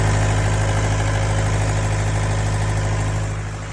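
Heavy, even low diesel drone at steady speed with a slow pulse, no clear misfire heard; slow, hard starting reported, cause unconfirmed.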